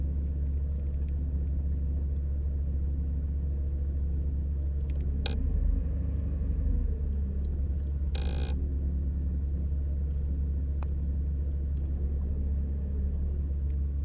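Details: 2001 VW Polo 1.4 AUA, warm engine: idle with a deep rumble that swells and sags, hunting; worse with a little more gas, RPM drops and nearly stalls when driving off, performance fine at higher speed.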